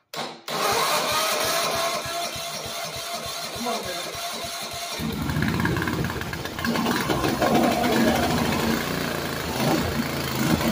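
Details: Walk-behind brush cutter that sank in a pond and was dragged out by tractor, with water likely still in the carb: fast cranking catches, then ragged, uneven running that stumbles instead of idling; owner suspects torn-up throttle linkage limits throw.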